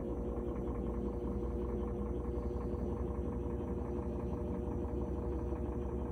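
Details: GE washer not spinning, belt cleaned of oil, lid switch replaced: steady motor hum ramping to high speed with smooth drum rush, no slipping, knocking or squeal; spinning normally.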